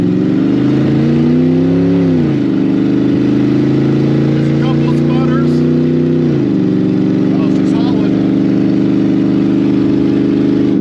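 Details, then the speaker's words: Ex-police 2000 Ford Crown Victoria V8, later in test drive, taking off from a stop sign: loud exhaust pulls cleanly, pitch rising smoothly, no stumble; earlier problem gone, cause unknown. "she is moving out wow nice way better I don't know what the problem was but it's not there anymore this is running just fine"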